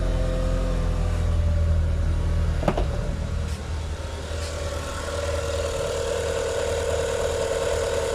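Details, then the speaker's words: Great Wall Hover (Great Whale) engine after resetting timing belt that had jumped 4 teeth, first start after repair: even quiet idle, no knocking; valves not bent, previously knocked like a diesel with uneven rpm. "Ну все, шепчет. Идеально. Клапана не загнуло."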